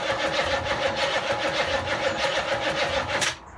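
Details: Land Rover Defender V8 conversion, dry-started with no exhaust and no coolant, using an exciter lead for the starter: steady starter churn at about three beats a second for three seconds with no firing, then silence; cranks but won't start.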